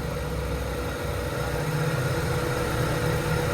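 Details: Honda Civic EK with check engine light and high idle, after cleaning and idle adjustment: quiet, low, even idle with no hunting or surging and a soft steady hum; idle brought down and now settled.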